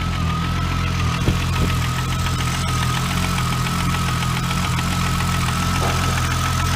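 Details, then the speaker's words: Volkswagen Corrado started and idling for a few minutes on first start after sitting about 7 years, with no tach working; even, steady idle with a low hum and faint constant whistle, no misses: normal idle, sounding healthy. "there [Music] she sounds healthy okay so hopefully my thermostat works"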